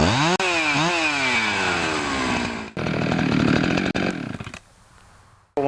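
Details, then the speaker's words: Husqvarna 365 chainsaw after an intake boot replacement between carburetor and cylinder: crisp, clean revs rise and fall with the throttle, a steady high scream without bogging. Runs healthy, repair successful. "you've tried it out and your sure runs good like that you know you've done it right"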